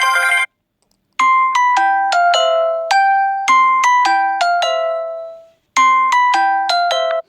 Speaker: so on my settings for my alarm on clock I have the following settings my alarm sound is bright morning yeah I like this one